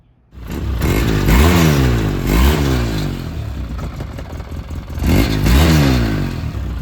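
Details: 2009 Polaris RZR 800, parked about 5 years, which earlier stalled whenever throttle was given: engine catches, revs rise and fall cleanly in repeated blips, no misfire or stumble; runs healthy.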